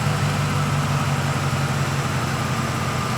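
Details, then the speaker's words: 2007 Ford F-150 Lariat 5.4L Triton V8: steady smooth idle during computer-controlled 800 rpm high idle after start, no rattle; VCT cam phasers rattle at 800–1,200 rpm only when revved with pedal. "but when you start it up and it high Dalls for a second on its own by the computer at 800 it doesn't rattle"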